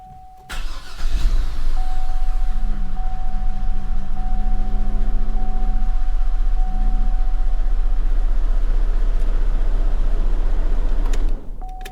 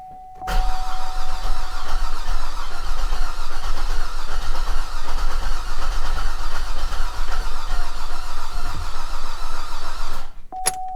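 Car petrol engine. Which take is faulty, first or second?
second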